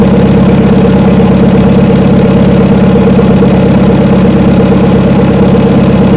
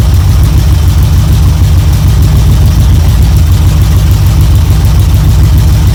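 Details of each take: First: Old blue truck (72 C10) not started in about 3 months, about 40°F and drizzly: the engine finally fires, then drones with an uneven pulse about twice a second. Rough running, seemingly fuel starvation; owner suspects water in the carburetor. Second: 1972 Chevrolet C10 V8 idling evenly after a choke start on a battery charger in about 40° drizzle; it briefly flooded, then ran with good oil pressure, deep steady burble, no knocks or misses, warming up: normal idle.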